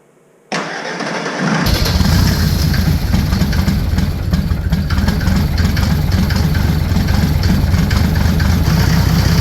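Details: Ford Ranger with Mercedes OM603 five-cylinder diesel, Doomsday Diesel adapter and Ford ZF5 transmission, first start after priming fuel and heating glow plugs: brief crank, then steady even idle clatter; good oil pressure.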